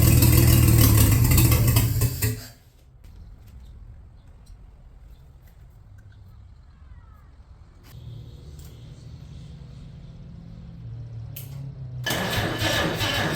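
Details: Abandoned 1950 Chevy 1-ton truck, 216 inline-six, after a couple of heat cycles on used filtered oil: rough, loud, chuffy run with steady low knock about four per second and uneven beat; misfire plus bottom-end noise, rod knock suspected, not confirmed.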